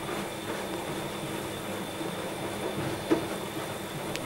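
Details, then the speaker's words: Hotpoint/Indesit/Scholtes/Ariston washing machine C.E.SET motor spinning, recorded from underneath: faint high whine with distinctive clickety, crackly arcing noise from one worn carbon brush making bad contact and sparking; brushes to be replaced. "You will also hear a very distinctive clickety type noise when the motor's spinning. This is due to the one carbon brush on this machine which has got a bad contact and is making an arcing type sound."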